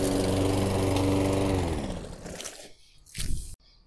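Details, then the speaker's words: Toro Recycler 22-inch mower with a replacement carburetor installed months earlier, cold start: runs steady and even, then winds down cleanly with no stumbling; it starts right away cold but runs rich and rough when restarted warm. "Which is, it'll start up right away when it's cold."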